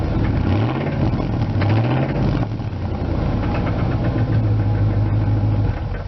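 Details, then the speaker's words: 1999 Ford F250 Light Duty, 5.4 Triton V8, start-up recorded from the rear near the exhaust: settles to low idle with a loose, uneven knock over the exhaust rumble; source not identified. "obviously the knock may not help with the sound of the exhaust because you probably hit the knock more than the exhaust"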